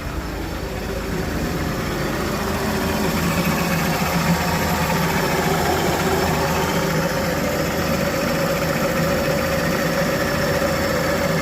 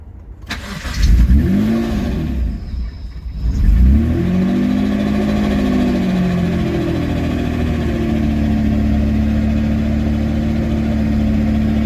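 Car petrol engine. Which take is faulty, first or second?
second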